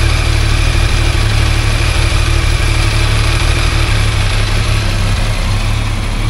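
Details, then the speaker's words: Cold three-cylinder sport motorcycle with original exhaust, idling: a light, uneven rattle over the low thrum that changes as the clutch is pulled slightly; normal clutch basket free play, louder when warm. "Vale lembrar que as motocicletas estão frias quando esquenta o barulho fica um pouco mais proeminente"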